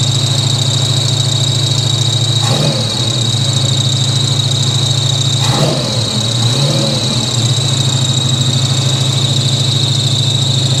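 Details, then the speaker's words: 1983 Chevy C10 with 350 small-block V8 after Holley 4-barrel carburetor swap to fix backfiring: starts fast, even high idle with thin whir, no stumble or miss. "fire it up that was fast that's probably fuel left over in the [Music] intake that was real fast"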